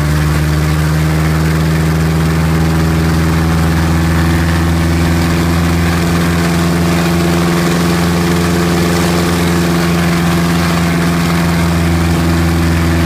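A strong, steady low drone holds even at high power for over ten seconds with no roughness or misses; a healthy run-up.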